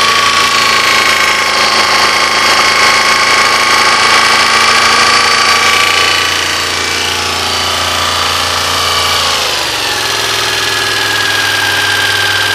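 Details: 1986 Honda VFR400 NC21 at idle: regular knocking about four times a second over a buzzy idle with a thin whistle above; weird engine knock of unknown origin.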